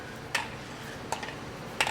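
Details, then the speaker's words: Peterbilt 567 with new coolant bottle fitted: sharp isolated ticks about every three-quarters of a second, the magnet (level-sensor float) heard running inside the tank; ticking in coolant reservoir. "know if you can hear that but there's a magnet in there that we're trying to fix and I can hear the magnet running in there"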